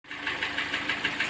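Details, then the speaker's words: Hyundai ix35 G4NA petrol engine, about 140k mileage, two owners. Sharp, evenly spaced knocks about six a second that get worse with throttle. Piston scuffing in the bores; the engine was later rebored and fitted with oil squirters. "нормально стучит а газу подаешь он еще больше начинает стучать"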